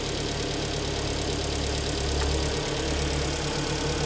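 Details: 2013 car, top premium trim, about 140,000 km, just reassembled after engine rebuild with boring, first start after standing over a month; steady even idle with smooth low hum, no knocking or misses: healthy.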